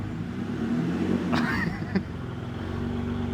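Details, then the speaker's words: BMW E90 with exhaust removed during driveshaft and differential work: idle then blips to about 3,000 and 4,500 rpm with raw, loud unmuffled bark; open-exhaust rev, no exhaust fitted. "4,500. Yeah. That's pretty. It does not sound refined at all. I don't like it. I don't think it adds anything good to it. It's just loud."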